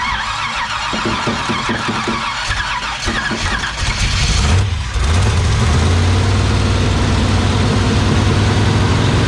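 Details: Rough idle on a 1968 Chevy Bel Air small block, self-built, first start after 8 years sitting: cranks and catches, then surges and drops in uneven waves, hunting to settle; oil pressure about 30 psi at 2,000 rpm.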